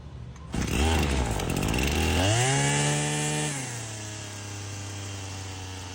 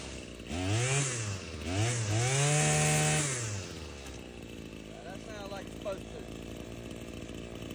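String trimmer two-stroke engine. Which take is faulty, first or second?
first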